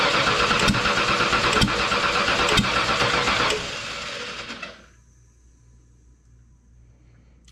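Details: 1995 Ford F150 Eddie Bauer 4x4, 5.8 V8, valve covers off with a loose pushrod found: rough running with a regular fast tick about three per second until shutdown; valvetrain tick traced to cylinder one, engine likely to be replaced.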